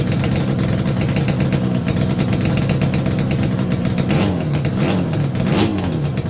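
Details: Yamaha RD350 YPVS F2 two-stroke at first start after a full rebuild (bearings, seals, rebore), with loose plugs on the first run: crisp throttle blips rise and fall cleanly with no knocks; healthy.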